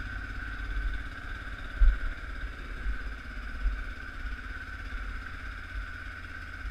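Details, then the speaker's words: 2004 Kawasaki KVF 360 (Prairie 360) ATV, cold start at about minus six after a snowstorm: low steady putter, firing evenly with no stumbles or clatter; idles fine while warming up. "here you go that's a cold start I'm just gonna let it warm up here for a minute idles fine this is to prove that this bike will start for you in any weather"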